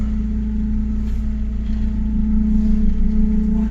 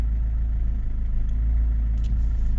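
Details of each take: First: Chrysler PT Cruiser CRD diesel idling during power steering bleeding after pump work, fluid level a bit low; loud droning moan from the steering pump cuts off suddenly, leaving a faint whine that starts to fade. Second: Chrysler PT Cruiser CRD diesel idling after power steering bleeding; steady low idle with even chatter and no whine, and no repeat of the clacking heard on last week's cold start.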